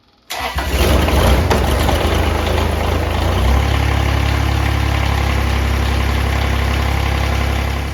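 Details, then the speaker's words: Kubota BX1850 diesel tractor after replacing both fuel filters (had low idle and sputtering) and bleeding air: quick crank, fires at once, steady even low idle without stumbling; fuel delivery healthy. "And steady stream of fuel. And we'll go ahead and we'll fire it up."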